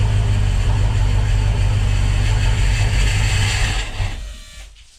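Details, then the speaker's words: Volvo Penta 5.0 GXi marine engine, after new throttle position and MAP sensors, injector checks and compression test, lower-pressure fuel regulator, coolant 21°, 12.1 V: deep lumpy idle about four seconds, then sags and stalls. "my high pressure fuel uh was around the 40 to 50 so I am raring a lower pressure with that different fuel pressure regular on there but again only ran a bit stalled"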